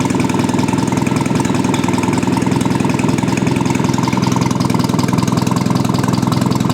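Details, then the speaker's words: Old engine's run after correcting firing order, carburettor and ignition timing; recorded next to the exhaust with no muffler; even steady exhaust pulses, no misses or knocks, runs smoothly; normal idle. "And it runs very smoothly, as you can hear. I'm now next to the exhaust and I have no muffler on, so this sounds real good."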